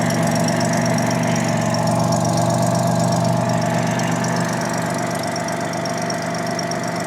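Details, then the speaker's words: 1987 Jaguar XJ6 engine after the drilling fix for a common XJ6/XJ12 problem: idles smoothly and evenly, light rapid ticking, faint exhaust puff, no chatter; an exhaust leak still remains. "Runs like a top. Runs like a sewing machine."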